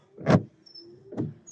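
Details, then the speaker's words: Windshield wipers on drying glass squeak, chatter and skip harshly on each pass because the wiper arm angle is wrong; fixed by adjusting the arms with pliers. "As soon as the glass dries a bit, you hear the squeaking and skipping again immediately."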